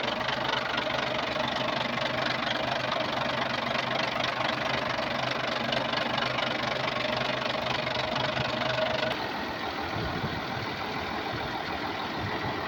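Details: Volvo TWD121 stationary 6-cylinder turbodiesel after fixing a loud knock by replacing one intake valve and a gasket set: steady diesel rumble with an even firing beat and no heavy knock; runs smooth, normal after repair.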